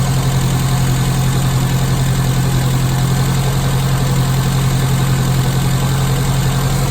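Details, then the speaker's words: Classic Mini carburettor engine after Gunson Colourtune mixture and idle adjustment, blue plug flame: steady, even idle around 900 rpm, smooth low thrum, no misses or hunting; sounding nice. "So idle, you want about 900 RPM. Sounding nice."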